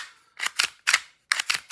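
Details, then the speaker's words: Tokyo Marui Glock 19 Gen3 airsoft pistol after fitting a metal slide: slide racked three times, paired sharp clacks with a gritty scraping stroke; suspected slide rails, possibly hammer or blowback unit or outer barrel, wear marks inside slide. "And that will be either the rails and the slide, which is more likely, or the hammer unit on the blowback unit."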